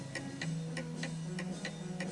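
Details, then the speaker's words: 1920 antique Napoleon hat mantel clock set tilted to the right on an uneven surface ticks at about two beats a second with uneven alternate beats, more tick than tock; out of beat and will eventually stop. "What you'll find is that the actual mechanism makes a different sound. So let's listen to this. And because it's tilted more to the right, it is making more of a tick than a tock."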